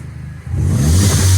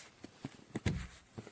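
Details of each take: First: Mini Cooper S with crank no-start after new high pressure fuel pump replaced; quiet idle then crisp smooth rev, running better, fuel pressure near target. Finding: normal revving. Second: Petrol direct-injection Mini Cooper S with an already replaced high pressure fuel pump: steady cranking with no firing; rail pressure stays at 0.74 MPa instead of about 5 MPa, and a second new pump fixed it.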